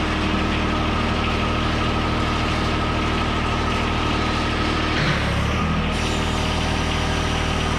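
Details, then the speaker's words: 2013 John Deere 1023E tractor, 154 hours, 21.5 hp Yanmar three-cylinder diesel, run after an oil change to check for leaks: steady, even idle with a low regular chug, no knocks or misses; running healthy. "Okay, we're going to start it up. We're going to let it run for a minute. We're going to check for any leaks, and then we'll check the oil."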